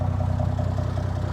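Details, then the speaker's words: 1980 Plymouth Volare slant six, sat for years, with almost no brakes. An even, steady idle with a smooth low rumble and regular firing pulses, no knocks or misses: it runs sweet. "But just listen to it. I mean, it just runs. It purr."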